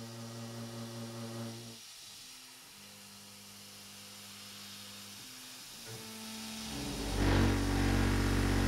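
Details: Avid CNC Benchtop Pro gantry router with CNCDepot S30C 2.2kW spindle cutting A36 mild steel: harsh stuttering tone breaking up and restarting each pass; chatter, suspected from steppers and a system not rigid enough.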